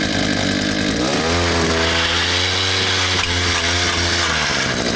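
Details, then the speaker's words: Two-stroke auger's note sags sharply in pitch and chatters roughly as it loads up digging a post hole; it hit something solid, suspected to be a rock or root. "Think it's a rock? Double. I was hoping that wouldn't happen. You're a rock or a root?"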